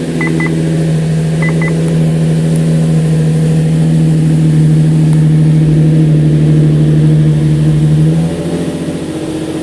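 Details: 2005 Infiniti G35 VQ35DE Rev-Up, 6-speed manual, started after replacing coil packs and spark plugs for a random misfire (P0300); engine catches and settles into a smooth, steady idle with an even low hum, no stumble or ticking; normal idle.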